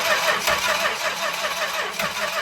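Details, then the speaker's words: 1964 Chrysler Newport sitting 2.5 years, being revived: spark and fuel present, choke and throttle played with, but starter just spins at an even cranking rhythm with not even a cough; cranks, no start, cause not confirmed. "Sitting here playing with the choke and throttle, trying to find what it likes, but I haven't even heard a cough or anything yet."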